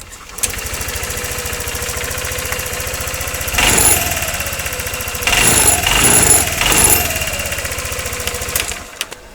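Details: 2013 Honda SH150i scooter engine restarted after repairing a knock (broken spark plug was found): even, quick idle putter with short throttle blips and no tapping. Runs clean and steady.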